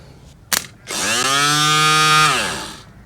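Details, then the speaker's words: Audi A4 convertible roof hydraulic pump motor, powered directly after cleaning its brush housings: a click, then a steady high whine for about a second and a half winding down smoothly; the repaired pump motor now runs normally. "So now it works. Put it all back together, plugged it in. I have powered up the pump directly and it is now running, so I was going to try the roof."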